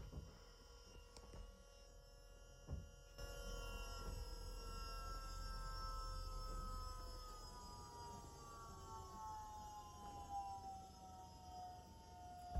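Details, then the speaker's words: Volvo electro-hydraulic power steering pump fitted to a Chevy S-10, switched all the way up: steady electric whine with several tones easing slowly downward as it settles, smooth and even; bled quickly. Pump working normally. "Okay, I'm going to turn it all the way up instantly and we're going to see how long it takes. All right, that's all the way up."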